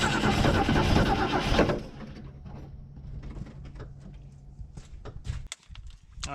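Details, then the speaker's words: Mercury Comet barn find after winter storage, about 37°F cold start with gas poured in: starter spins under two seconds without firing, then quiet; fuel not yet picked up (suspected), cranks but won't start. "it hasn't quite picked up gas yet I'm going to give it uh a little bit too much try to get down the vent tube"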